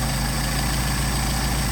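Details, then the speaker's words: Mercedes 190SL rebuilt Solex carbs (from a 39,000-mile car, new throttle shafts), idle about 750 rpm during idle mixture screw adjustment: even low rumble with steady firing, no stumble, rpm picking up; normal idle. "You can hear the RPM pick up. And no change as we screw it out further, so we want to go back to where we had our transition from poor running to best idle speed."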